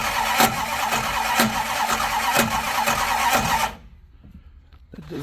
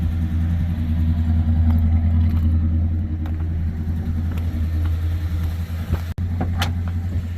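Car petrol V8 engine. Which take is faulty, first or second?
first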